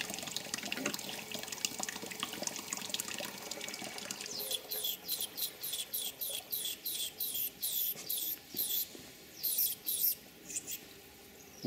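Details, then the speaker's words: Live steam injector on a 5 inch gauge GWR 15XX locomotive working properly, recorded with the camera mic gain turned up: a steady high hiss with regular quick sputters about twice a second. "I turned up the gain on the camera's microphone so you can hear the sound that the injector should make when it's working properly."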